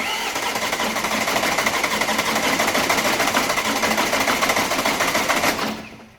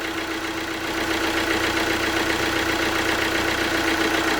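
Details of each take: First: Alfa Romeo Giulietta diesel after rebuild, cranked with a sensor disconnected to circulate oil: steady rhythmic starter churning, about three compressions a second, never catching; cranks, no start, as intended. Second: Alfa Romeo Giulietta diesel after water pump failure rebuild (new genuine parts), coolant being bled with cap off, warming up: steady even diesel clatter, revs settling slightly, no misfire or hunting; healthy idle.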